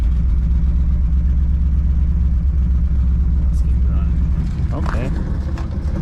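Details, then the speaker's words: 1959 Edsel Ranger just after installing a replacement driver-side exhaust manifold: deep, steady low rumble at a fast idle with no ticking or puffing leak; running normally and sealed. "All right. Not terrible. Not bad."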